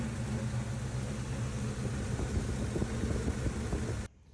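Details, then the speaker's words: 1979 Ford F150 after a carburetor rebuild and tune-up with plugs, wires and oil: a low, steady V8 idle with a faint unevenness in the beat. Much improved but not perfect; another carburetor or EFI is being considered. "so the truck's running a lot better than it was unfortunately it's not perfect"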